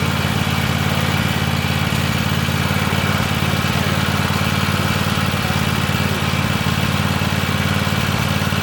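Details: Free Weed Eater garden tractor, Tecumseh TVT691 two-cylinder, just refreshed with fresh oil, new oil filter and oiled cylinders, first run on gas and warming up: steady even chugging idle around three beats a second, no stumbles or knocks; started right up, normal idle.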